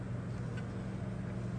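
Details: Rheem generation five hybrid heat pump water heater, ambient about 89–90°F, evaporator blowing cooler air: steady low compressor hum with even fan rush, no knocks or rattles; heat pump running normally.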